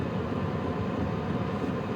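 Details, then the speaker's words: HCalory Toolbox Max diesel heater at setting 4 of 10, fuel pump quietening after priming; even soft fan rush with low exhaust murmur, no surging, knocking or rattles; normal running. "Now the pump is already starting to get quieter. You can hear the exhaust. It's set on 4."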